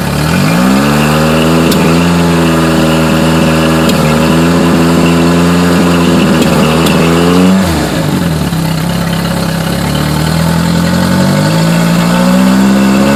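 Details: Yamaha four-stroke carbureted engine: an uneven, stumbling idle that stays rough as revs rise and fall, with a broken, lumpy beat; a carburetor misfire is suspected, not confirmed.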